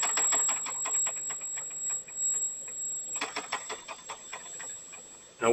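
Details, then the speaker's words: Thin, steady, very high whistle over light ticking from a homemade small boiler for a miniature steam engine near the edge of steam; steam escaping, suspected poor seal around the valve needing rebuilt parts. "It's got a high pitch. I don't know if you can hear the high pitch or not, but it's there."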